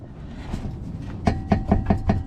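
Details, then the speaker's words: Car at idle with sharp metallic taps about five per second over a low rumble: the exhaust is aimed up and rattling against the chassis and touching the carrier bearing flange. The planned fix is readjusting the exhaust hangers. "so I'm gonna do a quick fix on the exhaust system rubbing on the chassis"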